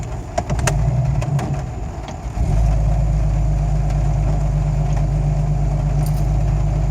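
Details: Jeep Cherokee XJ, 1993 block with 7120 head bored .060 over, new IAC, downstream O2 sensor wiring torn by the driveshaft (owner suspects that): catches after a couple of seconds, then an uneven, lumpy idle that never smooths out.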